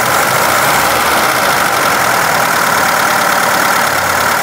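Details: Engine running with a large bearing ball dropped into a cylinder through the spark plug hole; steady idle with only faint light taps after earlier knocking; ball appears to have left the cylinder through the valve.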